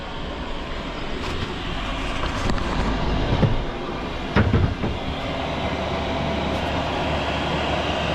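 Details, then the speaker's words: Diesel heater in a Fiat Ducato camper conversion at full power, display showing all bars and very hot air, cabin at 19 degrees with 20 set before it drops to quiet mode; steady low roar without surging or popping, healthy. "when it gets to its set temperature then the heater goes down to its quiet mode there's two modes there's full power of the fan and then there's quiet"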